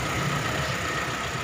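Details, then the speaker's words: Mitsubishi Kuda injection engine started after replacing the power steering pump and rack seals and fixing the valve cover gasket oil leak: smooth, even low idle with a faint hiss and no tapping or stumbling; normal idle, leaks now dry. "Oke ini sudah kita Nyalakan udah hidup ya"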